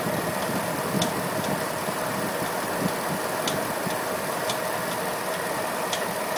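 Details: Pontiac G8 V8 after swapping the OEM harmonic balancer for an ATI Super Damper: smooth idle with a faint sharp tick about once a second at the engine front; owner suspects a pulley now under added tension is failing, not confirmed.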